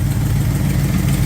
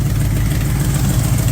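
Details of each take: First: Engine after distributor advanced and initial timing reset to about 10 degrees, previously retarded and overheating: even, steady low idle rumble without stumbles or misses; normal idle. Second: Carbureted engine at idle, mixture screws set by ear to about one turn out: deep lumpy idle with rapid puffing from exhaust header leak, header tube resting against lower A-frame mount.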